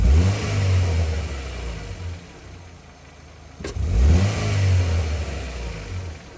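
Engine revs up twice and settles, with an uneven, stumbling beat at idle instead of a smooth run, consistent with a misfire.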